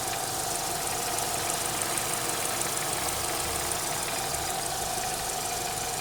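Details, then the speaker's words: Renault Megane 3 K4M engine, recently bought, hot idle after an oil change to ZIC X9 5W40: a light fast ticking knock and chirping over a hissy, steady engine that appear only when hot and are silent cold; cause unknown. "Что-то циркотит. И только на горячую. На холодную его нету. И какой-то стук на горячую после замены масла."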